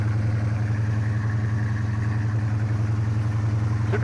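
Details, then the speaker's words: 1972 Plymouth Roadrunner, 383 V8 with Doug's headers, after a new power steering box install: deep, even burble pulsing steadily at idle with no knocks or misses; running right. "you can listen to it it's a sweet sounding old car and it's finally finally starting to get back right"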